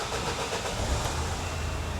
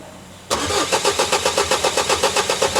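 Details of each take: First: Vauxhall Vivaro diesel van that wouldn't start: fuel system was chased first, but the real cause was the immobiliser not reading the key; after disconnecting and reconnecting the antenna it catches and settles into an even, steady clatter, starting normally. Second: Vauxhall Vivaro diesel cranking with easy-start and primed fuel: starter churns evenly about four pulses a second with no firing; first chased as low fuel pressure, actually the immobiliser not reading the key.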